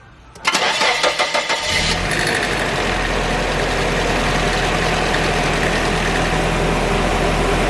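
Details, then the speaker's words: Nissan 240SX after timing chain rattle fix and new valve cover gasket: cranks a few times, catches cleanly and settles into a smooth, steady idle; rattle gone after a couple of minutes running. "alright guys the car has been on for a couple minutes and the rattling noise has not come back yet so I think we are good"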